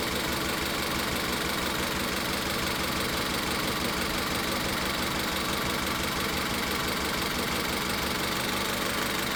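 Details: Car with a rough, uneven idle and a faint stumbling beat. Coil and injector power balance tests show cylinder three misfiring, and the cause is not the spark; the root cause is not yet confirmed.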